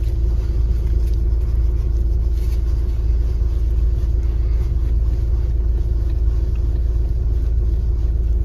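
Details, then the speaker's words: Hyundai i30 after repair of a steering knock felt in the cabin on bad roads (tie rods, ends and rack checked fine), driving on rough road. Steady low road rumble with no knocks or clunks; steering now quiet. "після заміни власник вже довгий час їздить на автомобілі давав відгук свій сказав що нічого не стукає тепер тиша на поганій дорозі коли їхати вже нічого в кермо не стукає"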